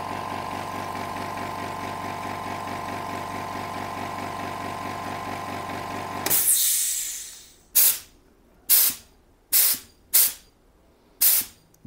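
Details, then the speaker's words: Hyundai SAC 55751 silent (59 dB) compressor turning back on and running with a steady, even motor drone and clean buzz until it reaches maximum pressure, then shutting off with a sudden hiss; normal run cycle. "so almost now it's turned back on again and it will stop when it reaches the maximum pressure"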